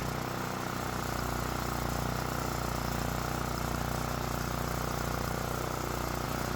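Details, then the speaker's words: Generac generator repaired after catching fire from starting ether, started on the first pull on full choke with the fuel valve open: small engine runs at a steady, even speed with a smooth drone and no misses or knocks. Normal running. "And with it running smoothly, that can only mean one thing. It looks like another one is good to go."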